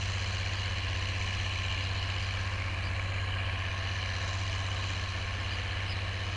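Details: Oliver 1550 diesel tractor working a John Deere BW disk after whatever was in the fuel system cleared out; a smooth, constant low rumble with even firing and no stumbles or rattles. Normal diesel running under load.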